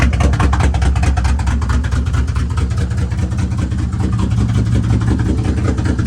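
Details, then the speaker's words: BMW E36 M3 with 6-speed, formerly supercharged (Active Autowerks stage 2, now removed) but still on 42-lb injectors and hard to tune; freshly installed harness, starts instantly but loud idle stumbles with skipped pulses over exhaust drone, misfiring, cause unconfirmed. "but I finally, now it starts up instantly, but as you can see, it doesn't sound like it's running that well. It sounds like it's skipping."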